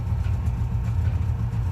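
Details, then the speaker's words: Subaru 360 van two-stroke after repairs, including a new master cylinder. A fast, steady low burble at about 1500 rpm with no misses or knocks: a normal idle. "turn our key and just see what happens come on baby there we go there we go idle's about"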